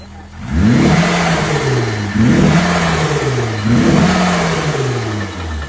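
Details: Freshly built 500 bhp supercharged Honda Civic FN2 engine on its first start before dyno time: smooth, even revs rising and falling three times with clean pickup and return, no knocks or misses; healthy.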